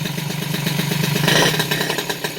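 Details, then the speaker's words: Peugeot 103 RCX moped, first start after rebuild with choke still pulled: fast popping two-stroke beat turning uneven and hunting as it settles; carburettor still needs adjusting. "carbure bien sûr à régler"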